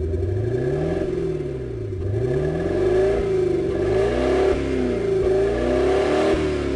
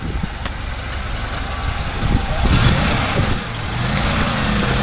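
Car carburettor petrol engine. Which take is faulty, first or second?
first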